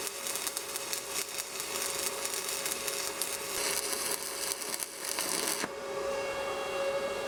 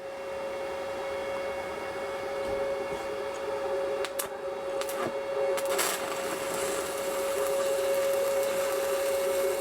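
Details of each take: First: Budget Sepaspe Arc 200 stick welder laying a weld on plate; steady even crackle like frying bacon, no popping or sputtering until arc is pulled off; smooth stable stick arc. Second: Stick welding on scrap with 309 rod on Sepaspe Arc 200 machine: steady crackle and buzz with sharp pops and spits as the overheated rod sputters toward its end; rods get very hot, not the machine at fault.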